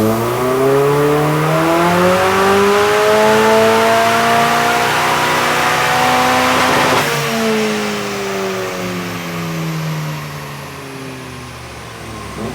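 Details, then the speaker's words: Mighty Car Mods "2Sexy" car on the dyno with new spark plugs after earlier spark issues, logging a full-throttle run: engine pulls cleanly with a smooth rising note, then eases off; no misfires, factory coils keeping up. "all right start logging coming up full throttle"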